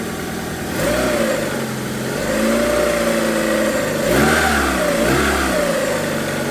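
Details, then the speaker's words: After cylinder head rebuild with new exhaust valves: two sharp snap-throttle blips rise and fall smoothly from an even idle, no stutter or popping; no misfire or hesitation, revs cleanly. "The biggest thing is it doesn't misfire under load, so when you snap it, it doesn't hesitate. It takes the fuel and it continues on revving up, so that's a great sign."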